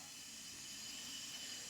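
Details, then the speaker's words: Skoda Octavia vRS engine leak-down test at 60 PSI, engine off, with the oil cap removed: a steady airy hiss of air escaping past the piston into the crankcase, plus slight leakage at the spark plug seat, indicating a broken piston or ring failure. "don't know if you can hear it but that is the air escaping into the crank casee so that is our problem so yeah Air's escaping into the crank case of the car which means we have a piston broken or ring failure"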